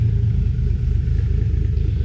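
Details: Freshly 1JZ VVTi-swapped Nissan 240SX S13 coupe, first startup on a new TIG-welded exhaust replacing the open downpipe: deep burbling, lumpy, uneven idle, rough because the engine is not yet tuned.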